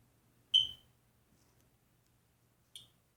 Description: Hardwired smoke detector with battery backup door open chirps and battery operated smoke detector chirps.